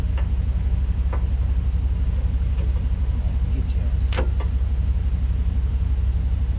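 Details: Abandoned barn-find riding lawn mower with compression, cranked on starting spray with choke open: low cranking rumble with one sharp pop as fuel ignites back through the intake; intake backfire.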